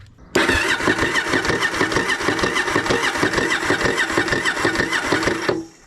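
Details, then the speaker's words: 1983 Yamaha XV750 bought not running, cranked on a jump box while testing spark: fast even cranking, about two beats a second, never fires; cranks but won't start, owner suspects old fuel, unconfirmed. "so far i haven't been able to get it to fire but what i want to do right now is i want to take a seat off a tank off and then i can clean the tank out a little bit put some fresh fuel in there"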